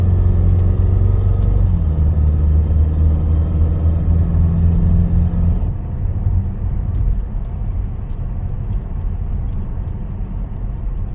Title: 2016 Ford escape Titanium 2.0L 4cyl Noise when accelerating